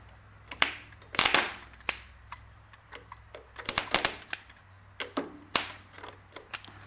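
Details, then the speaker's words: Ford 8N tractor starter bench-tested, jumped directly from a known-good battery: sharp irregular clicks and rattles, starter trying but failing to engage; starter faulty. "I can hear her trying to engage, but she's not doing it, so something's going on with our starter."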